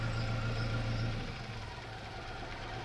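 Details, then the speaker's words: Ford Ka with over 200,000 km, already misfiring on the fourth cylinder, with another injector pulled: idle turns lumpy and uneven, a low wavering thump as two cylinders drop out; engine running on only two cylinders. "ficou ruim são dois cilindros e voltar a funcionar beleza"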